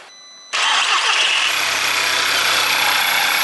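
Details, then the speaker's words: Audi TT with freshly rebuilt engine, first start during warm-up: catches and idles under a loud steady hiss of air sucked in via the dipstick tube, oil cap pulled down by excess crankcase vacuum; crankcase vacuum leak. "So, can you hear the air sucking in?"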